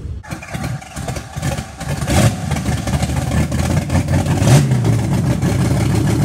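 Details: Carbureted car engine ("Betsy") started the day after camshaft break-in and idle timing set: catches, then runs lumpy and uneven with stumbling irregular beat; rough idle, cause not confirmed.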